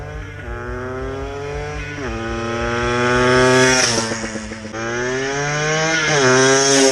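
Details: Benelli fitted with a Blaster two-stroke motor, finished build on shakedown runs in an empty warehouse parking lot; crisp revving in sweeping blips, clean rising pitch, no knocks or misses; normal running.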